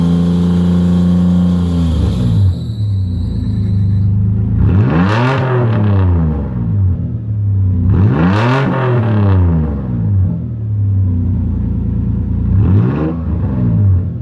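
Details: 2001 Toyota 4Runner with muffler removed and a home-made 3-inch-pipe Helmholtz resonator welded in: loud deep exhaust rumble rising and falling through three revs, low steady drone at idle between them, no harsh boom.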